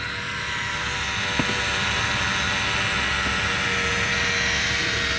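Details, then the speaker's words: 2024 CAT 289D3 skid steer, crank-no-start after the fuel bowl was drained; key on, electric fuel lift pump priming and filling the bowl with a smooth, constant hum, no surging or dropouts: normal lift pump operation. "Perfect. Pump sounds a lot better, too. There. Now you can really hear it's full."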